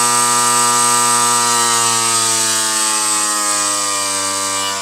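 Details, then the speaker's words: Variable-speed BPM scroll compressor at its 7,200 rpm maximum, ramped down through 6,000 and 5,000 to 3,000 rpm: a loud multi-tone whine that falls with speed. It is much louder than a fixed scroll at 3,500 rpm; normal for this compressor. "Não sei se dá para perceber pelo vídeo, mas é um ruído muito mais alto do que um compressor fixo normal. Porque agora aqui está 7.200 RPM e um compressor scroll fixo trabalha 3.500."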